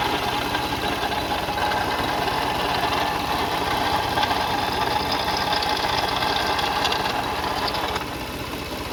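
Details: 2004 Toyota Sienna engine at idle with a loose, uneven metallic rattle about three or four beats a second; diagnosed via pulleys, serpentine belt and timing belt, which later snapped while driving; exact cause unconfirmed.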